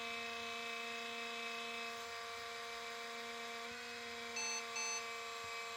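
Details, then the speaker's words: 2005 IBM ThinkPad R52 laptop, about 20 years old, neglected, at power-on: steady high-pitched whine with several fixed tones over constant airy rush; cooling fan running very loud and rough, likely from age and lack of maintenance. "켜자마자 펜 소이 엄청 큰데 어 심각하네요 스펜 상태가"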